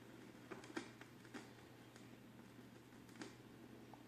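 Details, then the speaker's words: Vinyl record after cleaning in a Spin-Clean MK II washer and drying, playing with quiet hiss and a few scattered soft pops, four or five in as many seconds; suspected light surface noise, record has sleeve scuffs. "I hear a little pop, but that sounds like a little bit of a surface noise there, so try it one more time."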